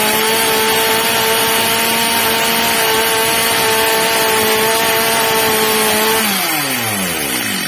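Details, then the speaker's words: Stihl MS230 chainsaw, old and well-used, after replacement carburettor fitted and tuned (max revs set slightly under ~14,000 rpm): clean steady high-pitched scream, then smooth drop-off when released; healthy, responsive running. "pierwsza co robiłem Zwiększyłem śrubą wkrętem regulacyjnym tel wkręcają delikatnie Zmniejszyłem dawkę paliwa obroty pilarki zwiększyły się"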